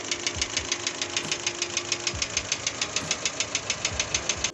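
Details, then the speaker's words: GAZelle Business van, 2021, 15,000 km, oil apparently never changed, idling before repair: sharp even ticking about three times a second. Hydraulic lifters tapping; an oil change cured it, though owners feared piston trouble. "а ну стучали компенсаторы гидрокомпенсаторы"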